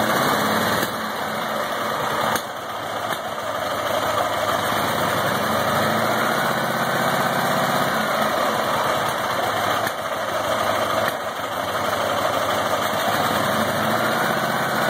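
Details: Ural IMZ 8.103-30 boxer motorcycle, K-2401 Minsk carburetor, Sovek ignition; uneven idle with sharp pops into the carburetor every few seconds, diagnosed as misaligned timing gear marks.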